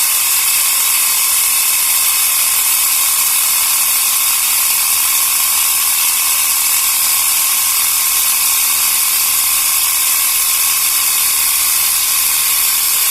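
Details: Portable 12 V piston tyre pump inflating a tyre toward 3 bar, cylinder hot, motor probably warm; fast, steady high buzzing rattle staying even — normal running.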